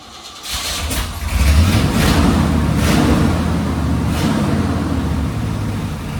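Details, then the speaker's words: Old Chevy/GMC K10 sitting for years, fuel poured into carburetor, reported carburetor issues: brief crank, then catches and runs steadily with deep even rumble, smoky; engine starts and runs. "Well, it's smokey in there. Uh So, the guy said it had some carburetor issues. And That's definitely fuel. So, uh We got it smokey in here. But, she's a runner."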